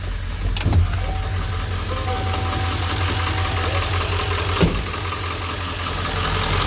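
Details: Ford 7.3 diesel truck at 217,800 miles, started after glow plug relay wait: loud, steady diesel clatter at idle with an even rumble, no misses or odd knocks; runs good, healthy though loud.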